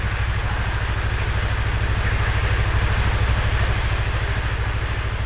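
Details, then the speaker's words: Engine after draining an oil mix of Prima XP, Bimoli cooking oil, Schaeffer Moly EP and nano energizer, refilled with Total Hi-Perf 20W50: even, steady low putter at idle, smoother than before, no knocks or ticks; normal idle. "tapi yang ini suara mesinnya udah lebih halus ini 1123"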